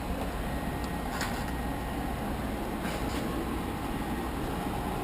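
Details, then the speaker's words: Airbox removed, new muffler: steady, even idle hum with no knocks, ticks or misses; runs nicely, no sign of burning oil or coolant. "it runs nice doesn't going to be burnin oil or coolant or anything at all really"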